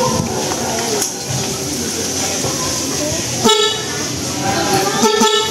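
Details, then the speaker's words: Newly installed cheap Shopee replacement horn (first of a dual-horn pair) tested after the old one kept failing: two short, clear blasts with a steady, strong tone over street noise; horn works well. "Aba, pwede. Isa pa lang yan, ha."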